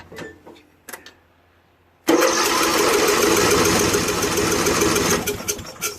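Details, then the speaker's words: 2001 Murray Select LT riding mower after oil change and carburetor cleaning (float needle stuck open from ethanol, gas had flooded crankcase): small single-cylinder starts and runs steady, slightly fast idle; fixed. "so i let it run for about three minutes or so after i burned off all the oil in the muffler smooth now man"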